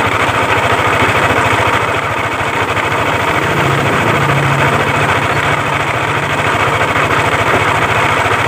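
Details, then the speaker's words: Yamaha Aerox scooter at idle, reassembled while awaiting parts; complaint of heavy noise around the CVT case/primary pulley. Steady rough clatter knocking about three times a second. Cam chain, tensioner, cam bearing and rocker arm were checked fine. The knock comes from worn connecting rod and crankshaft bearings. "Nanti setelah dipasang bisa teman-teman dengarkan kronologi suaranya seperti apa, biar teman-teman jadi tolak ukur bahwa suara seperti ini itu berpusat dari setang piston dan bearing kruk as."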